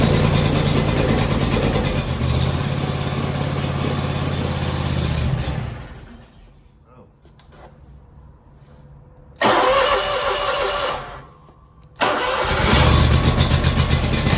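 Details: Scag V-Ride II 52-inch mower, first cold start of 2025 after sitting since October 2024, oil and hydro checked, tank of fuel: engine catches into an even chug, dips briefly, then picks back up cleanly; normal cold start.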